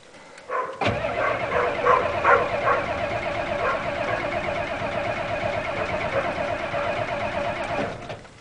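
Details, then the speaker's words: 1987 Ford F250 6.9L IDI diesel, cold start at about 29°F after five months sitting, untreated #2 diesel, glow plugs cycled twice, full throttle: about seven seconds of steady cranking, never fires. Owner suspects gelled fuel. "now no it might even have gelled fuel we'll just"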